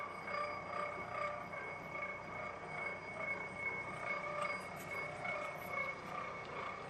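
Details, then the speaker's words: Hobbing machine cutting a 127-tooth gear: slow steady cutting chatter with faint occasional vibratory buzz and bell-like ringing from the gear, no hard hits; normal hobbing. "I'm not hearing any uh any signs of hard hits, but occasionally there's a little bit of a vibratory buzz and you can hear the the chatter of the cutting process and that's just the way it is."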